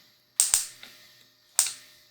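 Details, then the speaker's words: Bench test of a carbureted Honda Civic D15B distributor with module, plug wire, test spark plug and 12 V battery, distributor turned by hand. Sharp, dry snaps from the test plug, two close together then one more, clean and strong; normal ignition spark. "Poniendo así el distribuidor, teniendo todo conectado y al encender la batería tiene que haber chispa en la bujía de pruebas al girar el distribuidor."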